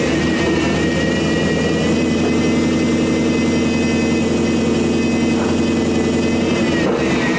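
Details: Car started after a new water pump and hose, air box and sensor left unplugged, for a leak test: loud, steady, fast idle with a constant tone and no stumble; it idles high because the sensors are disconnected, and no leak is seen.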